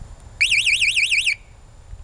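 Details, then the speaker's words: Homemade backyard electric ride-on locomotive, key fob button two sounds the conductor-to-engineer signal from the box: about one second of shrill electronic warble, pitch swinging up and down roughly seven times a second; signal alarm working normally. "it comes out of the box right here that's to Signal the engineer from the conductor in the back of the train"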